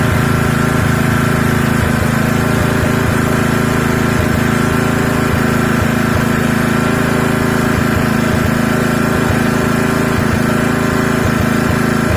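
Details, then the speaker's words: Honda GX160 single-cylinder engine just run after petrol got into its oil and combustion chamber, camera facing the exhaust. Steady patter of about four beats a second with a faint rough internal undertone. Owner suspects the petrol contamination, perhaps the con-rod clearing grit; still runs normally. "Oke kita matikan ya kawan ada timbul suara di dalam agak kasar ya mungkin efek dari kemasukan bensin ya"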